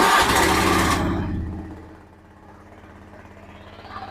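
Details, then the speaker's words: 2013 Honda Beat scooter after engine teardown, replacement of worn parts and fresh oil to cure a whistling, flute-like engine whine: starts with a brief loud burst, then a quiet, even idle; whine gone, smooth like stock. "sekarang saya akan gas dulu di motor ini sudah tidak ada suara dan sudah halus seperti standar"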